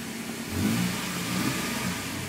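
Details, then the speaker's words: Toyota after cleaning the idle air control valve in the throttle body: revs pick up then settle into a steady, even run with no misses or stumbles; normal running. "like that that's okay and uh it's running good now"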